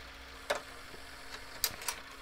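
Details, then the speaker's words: JVC HR-A592U VHS VCR: quiet hum with irregular sharp clicks as loader keeps cycling with no tape; stuck load/eject cycle, machine thinks a tape is inside; cause unknown. "and then it dries again and that's the whole cycle it just thinks the tape in it"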